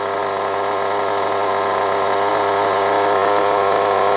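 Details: Nitro RC engine, first start after 2 years, after carb adjustment: high steady buzz with an even beat and no stumbling; clean, stable idle.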